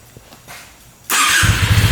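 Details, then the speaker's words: 2022 Benelli 302S, switched off and restarted: it fires instantly and settles into a steady, even low throb, running awesome with no apparent issues. Normal restart. "Instant. It's running awesome. I don't think there's any issues with it at all."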